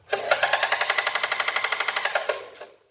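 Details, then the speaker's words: Singer Facilita Pro 4423 sewing machine, about 8 months old and under warranty, suddenly making harsh loud metallic clatter, about ten clacks a second, from five days ago; owner suspects motor area, others suggested bobbin or lack of lubrication; thread and needle already changed. "do nada começou esse barulho é o que barulho horrível que essa máquina"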